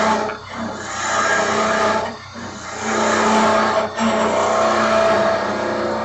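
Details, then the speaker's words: Woodturning lathe turning a mallet with a skew: rough buzzing hum over the lathe whir as the workpiece vibrates and chatters against the tool; a hand on the back of the work damps the vibration. "oh over here you can hear there is some vibration and to avoid that you can [Music] you can put your hand on the back of your all"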